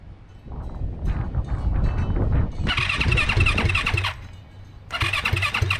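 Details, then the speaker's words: Turbo Yamaha YZ450F dirt bike with newly built engine, after timing reset, injectors and coil plugged back in, fuel system primed; two cranking bursts, catches a few uneven beats but won't run. "I actually did get this thing to stumble a little bit, but every time I tried to record a video, it literally did not want to start."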